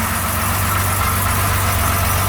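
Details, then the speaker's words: 1975 Jaguar XJ6 idling, heard at the rear: a steady, deep exhaust drone from an aftermarket stainless steel system, with no puffing or ticking. There is no leak; the system is simply loud. "yeah, I'm not hearing any leaks back here, so everything seems to be fine. This is quite a loud exhaust system. It's an aftermarket stainless steel exhaust that some previous owner put to the car."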